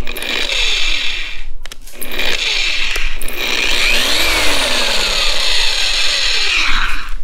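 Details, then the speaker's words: Harbor Freight Bauer 20mm random orbital polisher after 3 months' heavy use, running hot: uneven rough buzzing wavering in pitch from the back of the motor near the brushes, which the owner doesn't think are the cause; cause unclear. "so you hear this a noise it's coming from the back of the motor back by the brushes and i don't think it's the brushes that's making that"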